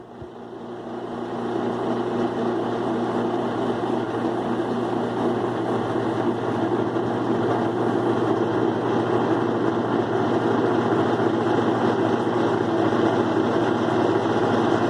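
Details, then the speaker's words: Kenmore 70 Series 2005 direct-drive washer after drain pump cleaning or replacement for odd noise while washing and spinning: steady even motor hum at one pitch on high spin, no grinding or rattle, pump now fine; coupler still suspected for remaining noise. "ahí verán cómo funciona lavadora Cómo gira bien el cono el cono aparte de arriba ya ya da la fuerza cuando lave la ropa"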